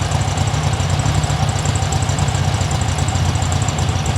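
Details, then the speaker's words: 1972 VW Super Beetle air-cooled engine (type unknown, running rich, new pushrod tubes) idling fully up to temperature after running with the engine cover closed; steady, even low rumble, no knocks or misses, settled rhythm; healthy normal warm idle. "all right well I ran it got it hot it's up you know it's up to temperature"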